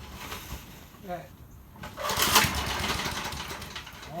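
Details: 1988 MTD self-propelled mower starting for the first time after the head was refitted, running on premixed two-stroke gas because of water in the fuel. It is quiet until the engine fires, then gives a rough but steady single-cylinder buzz; it runs not too bad.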